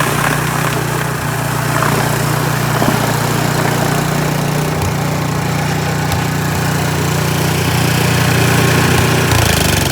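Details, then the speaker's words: Troy-Bilt snow blower single-cylinder engine after clearing an animal nest, with oil still slightly overfilled: steady, even chug at constant speed, no misses or surging; runs great. "all right so there you can see that you know it's super slushy but other than that it runs great"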